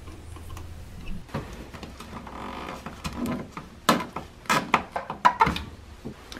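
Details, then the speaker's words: 2000 Dodge Caravan 3.0L, engine idling with light, uneven tick-tick-tick and a few sharper clicks over a quiet engine; worn hydraulic lifters needing replacement, valve cover to be removed. "that tick-tick-tick sound is a sign that your hydraulic lifters may need replacing it's not something you want to leave alone"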